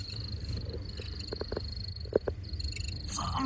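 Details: 2015 Audi Q7 TDI has short, high chirping squeaks over a steady fan hum and thin whine from a worn bearing in the HVAC blower motor, which is to be removed to fix it.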